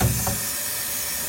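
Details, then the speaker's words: Sanyu single-door refrigerator that is not cooling despite a refrigerant recharge and a new condenser, with the system pressurized for a leak test. A steady, sharp hiss like gas escaping under pressure points to a leak at the upper evaporator. "Nah di bagian sini nih ada suara the Sis ya wis ini teman-teman ya"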